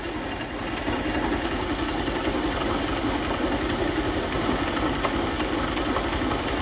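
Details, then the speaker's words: Honda CG Start single-cylinder motorcycle brought in for engine noise: idles with an irregular knock that changes character as the clutch lever is pulled and released. "Um, ó, dei partida e a mesma começou fazer o barulho, tá? Agora eu vou movimentar aqui, ó, a alavanca de embreagem e o motor vai mudar o som."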